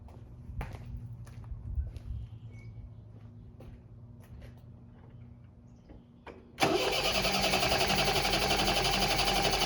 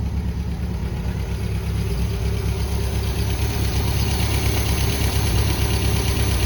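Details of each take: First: 1973 MGB sitting 20 years, lost spark: after quiet clicks starter churns steadily about four beats a second but never catches; distributor side connection found off. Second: 1973 MGB idling after sitting 20 years, carbs balanced and smoke cleared before its first test drive: low, even burble with a steady beat, no knocks or misses, running really smooth; normal idle.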